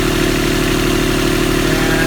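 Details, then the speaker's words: Universal 25XPB diesel in a Catalina 30 sailboat during winterizing, after an oil change, run about 15 minutes at 1700 rpm and near its 140-degree running temperature: even, steady diesel chug with a regular beat, no knocks or misses; normal. "Actually sounds good. So it's been about maybe 15 minutes, and I've been running the engine at 1700 RPMs. It's been running great."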